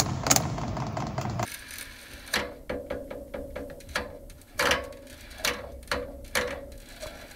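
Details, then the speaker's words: Heating system: sharp metallic knocks ring through the pipes from a directional radiator valve fitted against its flow arrow, making the cone vibrate; fix is reinstalling it with the arrow matching the flow. "okay so you saw many of different bulbs may have such kind of banging or knocking noise in a system why this happens this happens because of only one reason a flow goes on a wrong direction"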